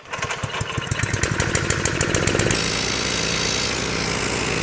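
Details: Old gasoline-driven compressor, before checking its rust-damaged tank. Uneven single-cylinder chugging at first, then it settles into a steady, even run; engine and compressor running normally.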